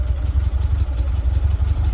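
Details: 1967 VW Splitscreen flat-four idling after service: new spark plugs, HT leads and distributor cap; earlier slight backfire is gone. Even, throbbing low beat with no popping or misses; normal healthy idle.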